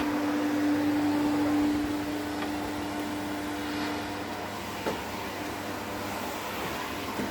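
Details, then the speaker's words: 1972 Electrolux Z310 cylinder vacuum after cleaning very dirty fans and lubricating, formerly very noisy: steady even motor hum with clean tone, no rattle or scraping while vacuuming; normal running. "give her a quick run around just so you can hear how quiet the motor is."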